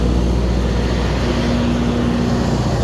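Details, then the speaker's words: Kohler 100 generator with John Deere engine, after Overcrank no-start fixed by new lift transfer pump and replacing a 4-year-old battery: starts cleanly and runs a steady, even diesel drone with constant low hum, no misses or surging; normal running. "Okay, so the Kohler does seem indeed to be fixed."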